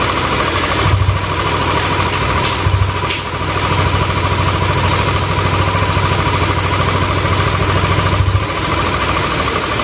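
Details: Yamaha Aerox scooter after repair of rough ticking noise, bearings replaced with originals after oil seizure damage: even, steady idle with low rumble and light whirr, no knocks; engine healthy.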